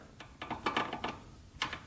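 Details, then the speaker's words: 1985 Honda 200X, gearbox in fourth: irregular light ticks and clicks as it tries to grab but won't engage, acting like neutral while fifth clicks in fine; gears suspected stripped internally, not confirmed; fourth gear not engaging. "all right we're in fourth gear right now you can hear it kind of it's trying to grab but it's just not doing it it's almost like the gears in there just like stripped out"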